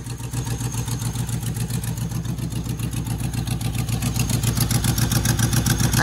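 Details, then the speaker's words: Manual Land Rover Discovery 1 idling after sitting six months: steady idle with a sharp puff-puff pulse in step with the engine; owner calls it the typical exhaust leak; exhaust puffing at idle. "what a beast all right it's idling typical exhaust leak"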